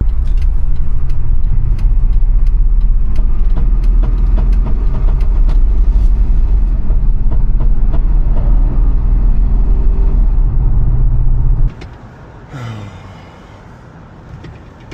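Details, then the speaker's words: Jeep bought at auction, driven home: above about 15 mph under acceleration, rough lumpy note with sharp knocks about three per second, something smacking around inside; deep internal knock and misfire, cause not confirmed. "It's just when I whenever I accelerate, it's like something's smacking around in there."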